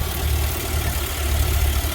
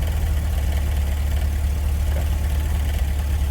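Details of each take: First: GMC with 6.0 V8 previously making throttle body clattering, warmed up and idling twice as long as before: steady, deep, even low rumble with no tapping or clatter; normal warm idle. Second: GMC with 6.0L V8 and electronic throttle body, idling: deep steady idle with a light uneven rattle from the throttle body; had limp mode and throttle position correlation codes, after a prior harness repair with crimp connectors.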